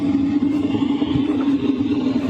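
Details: LF Bros diesel heater heard from outside the tent at night, at a distance: steady low hum with soft fluttering rumble; normal running, noise level judged totally fine.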